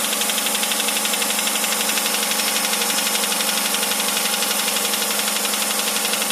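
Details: 2008 Hyundai Santa Fe 2.7 at idle: a steady, rapid metallic knock, about three per second, rides evenly over the idle; engine knocking, cause undetermined.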